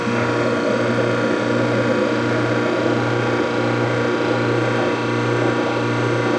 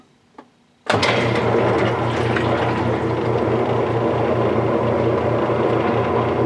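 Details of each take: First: Whirlpool direct-drive washer set to spin with lid switch bypassed: steady motor hum with rough ratcheting grind about once a second, basket not spinning while drain pump still runs; motor shaft spinning inside broken motor coupler. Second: Whirlpool direct-drive washer after motor coupler replacement, lid switch bypassed, dial on spin: motor kicks in to a steady hum with soft even pulse, no knocking or grinding; spin working normally.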